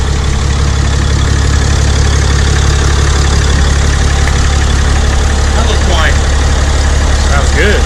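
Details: 6.7 Cummins diesel just fitted with a Smeding S369 SXE turbo: a steady, even idle with a smooth low rumble and no knocks, ticks or rattles, sounding healthy and quiet.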